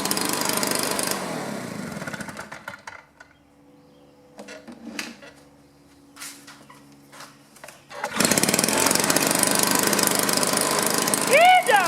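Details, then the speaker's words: Stihl 2-stroke blower after no-spark/weak-spark diagnosis and repair, warming up with carb adjusted within restrictor caps: high steady buzz, shuts off, restarts straight away and revs evenly; normal running. "he still got the restrictor caps on there so I can only turn it like a quarter turn but it runs okay"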